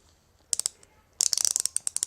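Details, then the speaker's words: Pittsburgh Pro thumbwheel hand ratchet, shipped dry with no grease inside: sharp, rough clicking in quick uneven bursts, about ten pawl clicks a second, before cleaning and lubricating. "much that sounds when it's dry but yeah these are gonna be great once I'm done with them"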